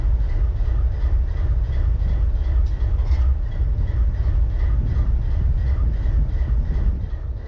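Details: BNSF 4583 locomotive diesel idling: deep rumble with uneven, lumpy pulses that keep breaking their beat, a cylinder misfiring at idle.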